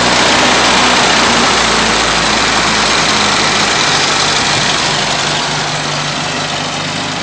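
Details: Datsun at idle: uneven, lumpy beat with occasional stumbles in exhaust pulse; misfire at idle.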